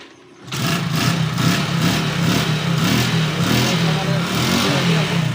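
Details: Bike with starting problem, revs stuck around 800–1500 and no pickup, after new CDI installed: catches at once, revs cleanly with even firing and crisp pickup; runs healthy.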